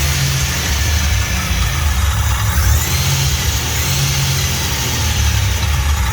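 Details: Fully built 3800 V6 race engine on its first start after the build and fresh coolant fill: steady, even drone with gentle swells on throttle blips, no ticking or knocking, no leaks; normal idle and revving.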